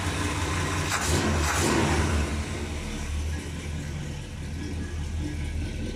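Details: V8 with TH350 automatic, Hooker headers, and dual straight exhaust with Flowmaster Super 44 mufflers, first start after years of sitting: deep burble catches, revs, then settles to an even idle, firing on all cylinders; normal V8 start and revving.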